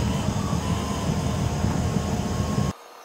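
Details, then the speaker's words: EasyFire EPI EF3801 12V DC pellet stove, refurbished (cleaned, top painted), at start-up as heat flows: steady blower hum with a soft flutter, no scraping or rattles, stops abruptly; normal running. "Feeling heat coming out of here now. That probably means the proof of fire is up. Oh, now she's blazing in there."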